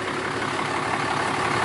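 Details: 2012 Ram 2500 Cummins diesel idling after fuel filter change (Fleetguard FS43255): short, steady idle with even tone and no knocks or misses; healthy idle.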